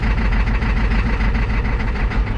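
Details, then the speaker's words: 1987 Ford F350 6.9 IDI diesel just after replacing injector return caps, o-rings and lines, in neutral held at about 1000 rpm: heavy low rumble with uneven, lumpy pulses, stumbling on air still in the fuel lines. "oh yeah right up he's a little stumbling I'm holding her around about a thousand probably hear how stumbles she is"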